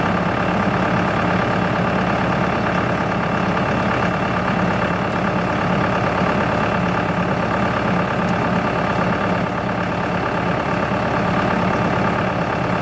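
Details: CountyLine PTO post hole digger on a tractor, first use, 6-inch auger boring hard clay; tractor engine holds a steady even pull with no knocks or strain surges. Running normally; clay clumps fall back into the hole.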